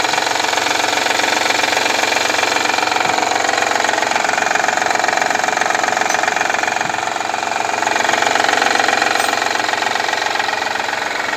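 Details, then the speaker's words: Honda Elysion 3.0 V6 petrol with cylinder deactivation, idling warm: steady sharp knock about three times a second, heard from the deactivating head and the oil pan; valve cover opened and rockers removed, cause undetermined. "этот звук исходит именно с отключаемой головы отсюда слушаешь фото 1"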